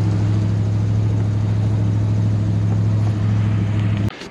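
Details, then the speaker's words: Cheap ratty beater at idle after a 50-minute drive home: steady, lumpy low idle with a faint quick tick about three a second from underneath; exhaust ticking, likely an exhaust leak. "It's the exhaust ticking."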